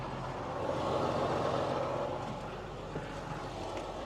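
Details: John Deere 8530 tractor diesel just after changing fuel filters, the primary clogged with dirt, owner suspects vandalism: steady low idle with an even beat and no misses or knocks. Running normally.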